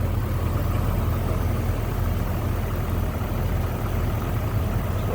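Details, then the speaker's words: 1986 Toyota Supra Mk III six, idling with the hood open: steady, even idle with a smooth low hum and no knocks, misses or ticks; very smooth running. Two-owner car with a clean Carfax. "Very smooth running, nice sounding car."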